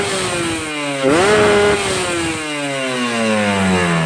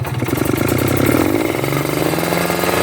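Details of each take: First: Two-stroke motorcycle (tagged Ninja) with the carburetor set correctly, the owner's preferred fuel-efficient setting: a crisp blip snaps to high revs and falls cleanly to a steady idle, with no blubbering low-end. Normal revving. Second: Two-stroke motorcycle (tagged Ninja) with a rich ("wet") low-speed carburetor setting that wastes fuel: an uneven, heavy, blubbering idle and sluggish low rpm that never crisps up. Rich low-speed mixture.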